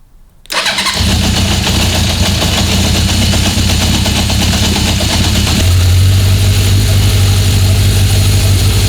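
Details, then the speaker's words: 1976 Honda CB750F1, single overhead cam, electronic ignition, during carburettor balancing: it starts promptly, then the idle climbs and holds at a fast, steady pitch and cannot be set low on the idle screw. The owner suspects a fault inside the carbs; high idle speed. "No. Something's wrong in that carb. I can't, every time I dial it back in, it just raises the rev so high."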